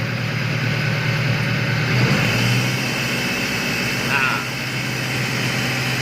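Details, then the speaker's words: Car engine at idle after starting, coolant normal: steady low drone, no clear knock or tick; mechanic attributes the hum to a dirty, damaged oil filter hit by a road stone, not confirmed by ear. "ini penyebab bunyi dengung ini berasal dari filter atau saringan oli saringan oli itu kotor dan kena cutter ya akibat cutternya nyium batu di jalan"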